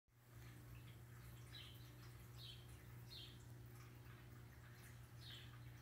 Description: It makes a loud buzzing noise. I don't know why but I would assume it is electrical.